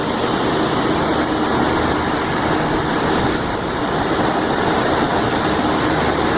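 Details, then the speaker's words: Intellipak rooftop HVAC unit on a blazing hot day after replacing condenser fan motors, with two condenser motor fuses found bad, heard on the roof: steady, even rush of air from several fans at full speed, no ticking or wobble; all running. "So yeah, they're all running. We're all good up here."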